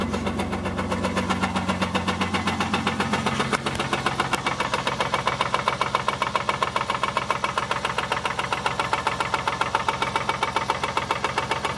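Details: 2001 Chrysler Sebring DOHC V6 idling with a steady, sharp knock about four times a second: rod knock from a bad rod bearing.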